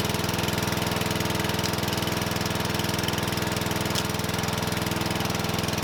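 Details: Murray 12.5 HP, 40-inch-cut riding mower that had stopped running, after a new carburetor and air filter: even, regular firing beat of about three to four pulses a second, no misses or stumbles; running healthy.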